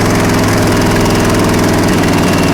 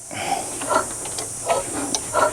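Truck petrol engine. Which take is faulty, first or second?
second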